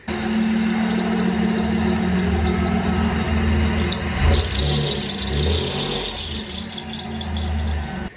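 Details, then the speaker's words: 1995 Camaro during revival, started to warm up and test fans: thin steady high squeal over a rough idle with some rattle from the front of the engine; worn water pump bearing. "but i'm thinking about just starting the car and letting them warm up something makes a horrible noise up here and i try to track that down"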